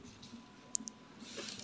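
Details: LG inverter washing machine whose water would not enter the tub, after reassembly, water level set lowest: two quick sharp clicks then a soft rising hiss, the inlet solenoid opening normally as water starts.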